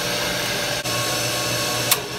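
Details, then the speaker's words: Hayward Super Pump pool pump motor running with a loud steady hissy whine as its bearings begin to fail, also a seal leak at the pump seam; motor replaced. "So this is what it sounds like when your bearings are starting to go bad in your motor."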